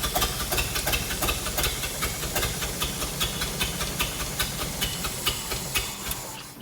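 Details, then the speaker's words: Hobart APU cart's Ford inline-six, sitting 8+ years, started with fuel dumped in the carburetor, choke down: uneven popping firing two to three per second with hiss, then fading; fuel-starved, running only on primed carburetor. "so let's dump a little bit more fuel in there just to see what we get so we'll uh we'll try this again"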